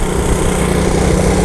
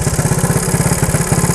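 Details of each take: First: 1977 Honda ATC 90 three-wheeler, 90cc two-stroke, started after sitting unused for years, riding through first to third gear: steady, even buzzing engine note without misses, knocks or stumbles, no smoke; fires right up and runs like a champion. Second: 1977 Honda ATC 90 two-stroke, air-cooled three-wheeler, first start after sitting for years, warming up: fast, even popping that slows and fades within a second when throttle drops; won't idle.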